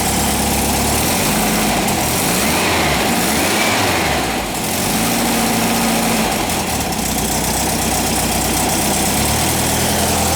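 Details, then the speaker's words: 1959 VW single cab pickup, air-cooled flat-four, during restoration and warming up: steady, even idle with a smooth churn and no knocks or misses; it sounds good. "Let's try it again. Sounds good."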